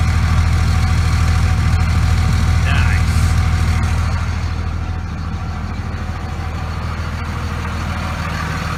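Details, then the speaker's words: 2001 Dodge Ram 2500 Cummins 24-valve diesel after new VP44 injection pump, recorded at tailpipe: deep, steady idle, even beat, no stumble or miss; injectors were fine, failed VP44 was the cause. "[Applause] sounds fun a way better and turns out none of the injectors were bad just that damn VP 44"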